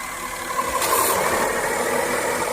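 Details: Car towed in with a no-start; the starter had failed and the starter relay was water-damaged, and both were replaced. Now the engine catches and settles into a steady, even idle hum with no grinding or misfire. It is running fine.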